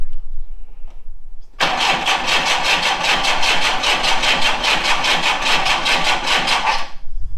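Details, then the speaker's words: VW Scirocco Mk2 Tropic, suspect fuel pump removed, fuel fed by syringe directly into the engine: engine catches quickly and runs with a steady, even pulse for several seconds before cutting. Engine starts and runs. "so what we've done is we put a syringe with some fuel directly in the car so James want spin it [Music] over it's alive"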